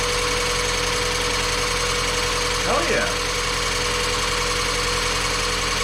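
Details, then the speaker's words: Mazda Miata after replacement of timing belt, water pump, pulleys, serpentine belts and valve seals, briefly run and not fully hot, coolant still needing bleeding: an even, steady idle with no knocks, misses or squeals; runs perfect. "this thing ran perfect it wasn't quite enough time for it to get hot i want to make sure it restarts"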